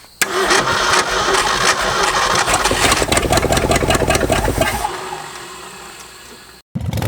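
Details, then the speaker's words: Late-60s Ford F-250 V8, abandoned 26 years: uneven stumbling firing pulses while cranking, tries to catch and dies; only firing on a few cylinders, suspected dry-rotted plug wires not connecting; misfire during cranking. "aking a connection you hear it when it kicks over it's only firing on a few cylinders"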